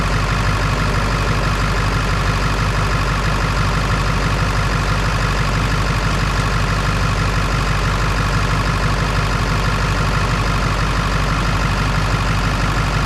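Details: Ford 7.3 Power Stroke diesel after fixing a battery cable connection that caused slow cranking (aiming for about 14.2 V on both batteries): steady, even idle with smooth low rumble and clatter, no misses or stumbles; normal idle.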